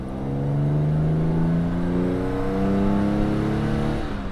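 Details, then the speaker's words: 1959 Jaguar XK150S Roadster, 3.4-litre straight-six, roof down, Moss gearbox with overdrive, accelerating on the road; smooth even exhaust note climbing cleanly with revs, pulls strongly, no misses or rattles; healthy exhaust note under acceleration. "Oh yeah, goes like a train. Brilliant."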